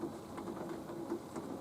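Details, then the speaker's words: Nautilus U614/U616 exercise bike at resistance level 4 after the pedal crank was retorqued with plumber's tape: only a soft even whir each stroke, no thumps or clunks. Normal quiet pedalling. "Level 4. No thumping, no clanking, no clumping, no chumping."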